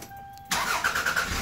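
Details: 1998 Toyota Camry after a new fuel pump harness was fitted, voltage drop checked at the pump negative side (about 1.4–1.5): a warning chime, then the engine turns over, catches at once and settles to an even idle; clean start.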